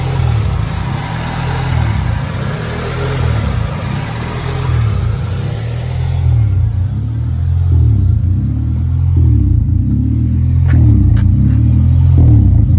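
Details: 1995 Honda Civic, restarted after 10-15 minutes cooling down, parked: idle rises and dips in slow waves every second or so; dirty idle air control valve the cause, fixed by wiping down and resetting it.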